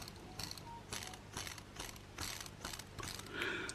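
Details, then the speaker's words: Wrenn West Country class Lyme Regis model locomotive motor, not run since the 1980s, brushes removed: light rough whir with rattly pulses about twice a second; suspected bearing issue. "So, sounds like we might have a bit of a bearing issue, so we'll go ahead and dismantle the motor now and see what's going on."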